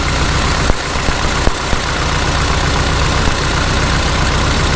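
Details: 1948 Farmall Cub tractor started at spring after hibernation, with a fresh oil change, in temperatures in the 30s: a steady, even idle with a low, full exhaust beat and only a couple of light clicks; oil pressure is being checked; normal idle.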